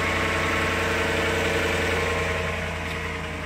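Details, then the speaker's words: 2011 Dodge Ram Hemi 5.7 V8 cold start after sitting about four days: smooth, even idle with steady low rumble, no tapping or ticking; earlier warm-up tapping from both sides seemed to go away after the owner changed oil brands away from Castrol full synthetic Edge; normal idle. "all right so that uh that startup after about four days um and there's no tapping like i had before"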